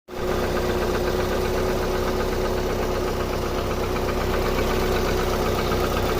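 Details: 2001 Opel Vectra B 1.8 four-cylinder idling: steady hum with loose, irregular tapping about four per second; engine knock, cause suspected, not confirmed.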